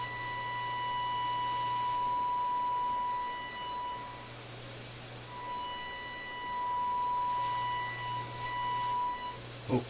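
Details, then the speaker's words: Electrohome Kalmar console stereo receiver during FM IF alignment, fed an audio test signal: a steady pure tone with a buzzy edge drops out and returns; owner suspects the signal is overdriving the radio. "wow. Maybe it's overdriving the radio."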